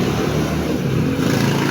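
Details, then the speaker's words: Barako motorcycle engine running before refresh: loud, rough mechanical clatter steady under the exhaust note, whole bike seeming to shake. Mechanic traced it partly to a worn gear on that side of the engine; replacing the gear should restore normal sound. Earlier shop blamed the crankshaft. "Yan isa to sa cause ng ingay niya. Itong na to, itong gear na to. So pagka ito ay napalitan ng bago, babalik sa dati yung kanyang tunog."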